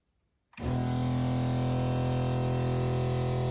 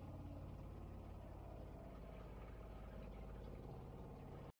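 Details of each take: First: Shurflo 2088 12V diaphragm water pump fitted with the recommended flexible hoses on inlet and outlet for silencing: loud steady droning hum with a fast pulsing buzz of about four beats a second; still very noisy despite the silencing. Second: Seaflo 33 series water pump replacing a Shurflo: runs much quieter with a low, soft, even rumble, lower frequency than the Shurflo's high-pitched scream, no whine or rattle, steady until it cuts off; normal pump operation.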